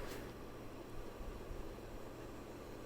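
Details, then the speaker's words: 1993 56-inch Super Brass Gulf Coast Tiara ceiling fan running in reverse: steady low whir with a dull rushing hum and a glass-like rattle; bearings are stiff and worn, but airflow remains strong. "sounds like a glasses rattling or something like that but yeah those bearings are not the best say the least but it's still a powerful fan for what i need it for"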